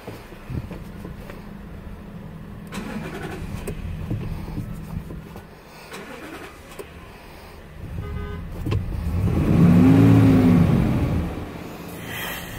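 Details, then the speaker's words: 2012 Dodge Ram, small V8: cranking at about four beats a second drags on several seconds before catching and revving; hard start, owner suspects a sensor (EC7030 bought), unconfirmed. "this is my heart starting problem with my my 2012 Dodge Ram"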